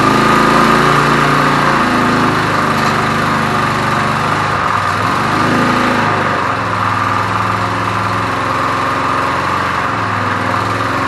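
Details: 1981 Briggs & Stratton vertical-shaft generator, found discarded: loud steady buzzing run at constant speed with light wavering beat, no misses or knocks; running normally.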